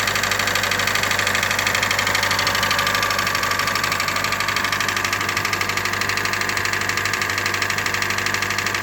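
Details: 2013 Hyundai Elantra GLS at 60,000 km: loud, fast, regular knocking at idle, about three per second, over a steady hum; first suspected rod knock, dealership found the crankshaft rubbing the bottom of the engine.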